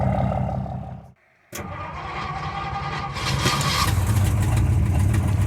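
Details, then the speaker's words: 1964 Ford F100 truck, V8, even when warm: cranking cuts out briefly, then it reluctantly catches and settles into a steady, low rumble. The engine seems tired and the oil looks terrible. Hard starting. "you can see she's a little tired even warm it doesn't really want to start"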